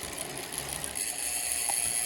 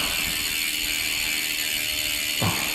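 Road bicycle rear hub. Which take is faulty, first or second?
first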